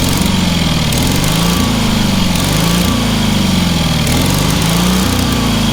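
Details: Engine on a free, long-neglected trailer-mounted man lift (cherry picker), water found in the oil and corroded intake, throttle half open; single-cylinder pops along briskly with mild repeating rise and fall in pitch, otherwise strong and even; runs amazingly well.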